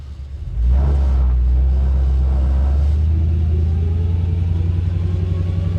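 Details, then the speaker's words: 1973 Chevy C10 with 6.0 V8 swap, modulator valve just hooked up, driving with the transmission shifting through three gears: deep V8 rumble with a thin whine rising in pitch with road speed; drivetrain whine, source unconfirmed. "is one whiny son of a gun. Oh, it shifted."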